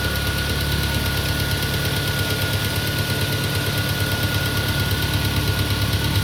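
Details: Peugeot 407 2.2 petrol, cold start idle, after new rings, valve lapping, new valve stem seals and cleaned extra-air passages, Total 9000 5W40 oil: steady knock about three times a second; source unknown.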